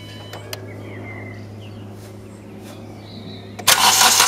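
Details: 2012 Hyundai i20 with code P1186 low rail pressure; after fuel pump primes, engine is quiet a few seconds, then catches quickly and settles into steady, even running with no misfire or knock; normal start and idle.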